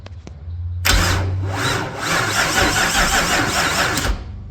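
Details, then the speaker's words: LS4 V8 swapped into a Fiero, new starter fitted, weak battery on a charger: it cranks about three seconds with a labored, uneven rhythm that drags once per turn. There is a tight spot, also felt when rolling the engine by hand. "So, you can still hear like that when you when you roll it over by hand. There's like a a tight spot. You can hear it when it cranks, too."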